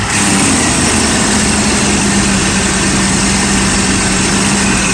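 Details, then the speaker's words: Mercedes SL600 test car with repaired Egas module, just auto-started: steady loud idle with constant droning hum from the secondary air pump, a known long-standing noise left unrepaired; engine otherwise runs fine. "Don't mind the air pump. That's it's been like that. I'm not, I don't want to deal with it, so I just left it be."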